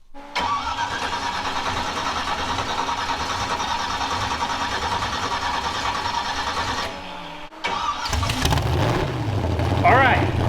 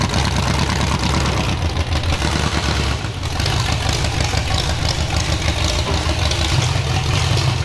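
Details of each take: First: First start of a freshly rebuilt derby-car engine after cranking to prime oil to the bearings: rhythmic cranking, pause, then it catches and runs steadily; starts fine, though a cracked head later found leaking water. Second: Demolition derby car engine running loud and rough with a lumpy, uneven low beat under the exhaust; doesn't sound right, cause unknown, so it is being pulled for an LS swap.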